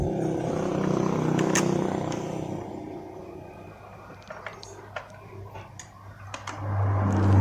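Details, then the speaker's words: Old Honda Vario 125 scooter after re-tightening the loose bolts inside the rattling radiator cover. It now revs up cleanly and evenly, with the former growl and vibration around the radiator gone: normal running. "udah kenceng ya. Perhatikan sekarang udah nggak getar lagi ya."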